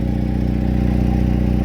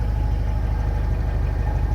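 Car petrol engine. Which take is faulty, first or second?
first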